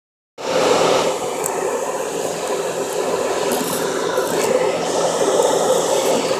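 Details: Smart car 451 fan: steady fan rush with a faint thin squeak; owner suspects failing fan bearings or possibly low refrigerant.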